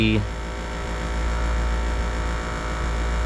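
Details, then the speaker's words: Evergreen PTAC unit with a complaint of no cooling: steady low electrical hum with no rattle, knock or cycling. The compressor runs at 4.4 A against about 3.8 A usual, and the indoor fan is running. "4.4 okay compressor is running we know our indoor fan is running which is right here"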